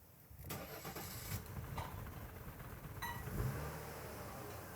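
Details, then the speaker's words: 1991 Mercedes 300TE 24V (S124) with test EHA valve fitted, air filter off; starter cranks, engine catches in uneven stumbling bursts then settles to shaky idle: rough, unclean start, cause unknown. "it started but that wasn't necessarily a very clean start so we'll try it once more it is starting"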